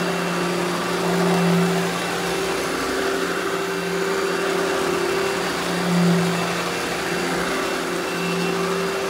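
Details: Eureka The Boss Smart Vac upright vacuum, model 4870 type GZ, bought secondhand, belt replaced; switched on for a demo: constant low motor drone with slight level swells, no grinding or belt slap; normal smooth running.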